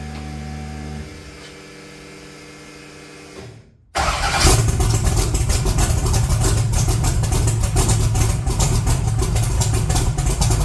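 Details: 1982 Chevy S10 V8 started cold after sitting, very low vacuum and no high idle: uneven, lumpy idle stumbling every few beats, a horrible misfire that runs rougher with the vacuum line connected.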